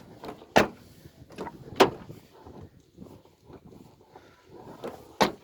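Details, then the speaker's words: Door hinge squeak persisting after rubbing candle wax on the hinge (candle lifehack failed; special hinge grease also gave same result); short sharp creaks with each swing and clunk on closing, roughly once a second; cause and fix unknown. "все это ерунда так что есть смазка для петель специальная вот сколько не делай результат один и тот же"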